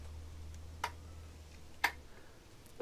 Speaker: hear the solenoid clicking so I know that is power going to a solenoid and it swipes across